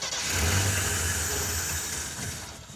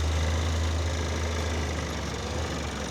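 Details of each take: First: '76 AMC Pacer off-road 4x4 with Holley Sniper EFI two-barrel kit; engine cranks with a low churning drone that swells and fades without catching; electric fuel pump not running, so no fuel delivery. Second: 1976 AMC Pacer 4x4 on 35-inch tires, idling: steady even low rumble with no knocks or misses; normal idle.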